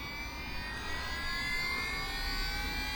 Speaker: As you can hear, the flywheel now spinning up. So obviously that's the gyro feature, guys.